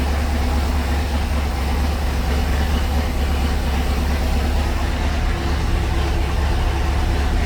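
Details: 1976 Ski Nautique boat engine, Pertronix D231801 distributor, first start, not yet warm (90°, thermostat closed), oil pressure 50 psi, tach about 1000 rpm: deep steady rumble, no surging; idle a little high.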